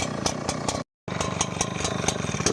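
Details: Brand-new Echo 9010 backpack blower, Echo Red Armor oil, not on choke: uneven lumpy firing at idle with no steady rhythm, nearly stalling; owner suspects a defective unit, cause unknown.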